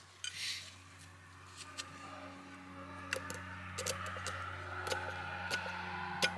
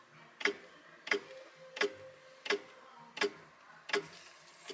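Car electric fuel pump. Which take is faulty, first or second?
second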